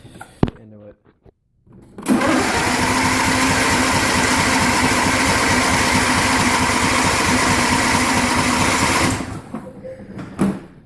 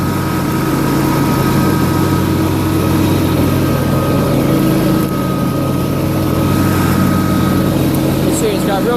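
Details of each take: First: John Deere LA150 lawn tractor, nearly 300 hours, after running out of gas: steady rapid starter churning about seven seconds without catching while gas works through the lines; extended cranking, fuel not reaching carburetor. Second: John Deere LA150 lawn tractor nearing 300 hours, mower deck running with Gator mulching blades: loud, steady whirring drone, even blade hum, no knocks or grinding; strong suction makes the deck naturally louder, safety switches work. Normal running.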